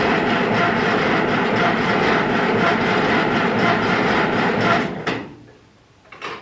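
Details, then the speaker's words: Ferguson 20 petrol/TVO tractor, sat 10–15 years, jump battery to starter, fuel freshly added: steady cranking that never catches; carburetor gummed up and dripping fuel, stuck float suspected, carb to be removed. "okay car is obviously GED up so we are going to have to open it up I think kind of hoping we're going to avoid that but um she's dripping fuel so I would imagine float's probably stuck in things"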